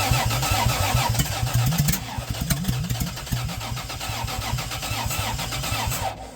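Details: Toyota 2JZ engine in a Geo Metro with adapted Chrysler slant-6 distributor, GM HEI module and Ford Duraspark coil: runs lumpy, stumbling about once a second; distributor gear one tooth off retarding timing, plus intake vacuum leak.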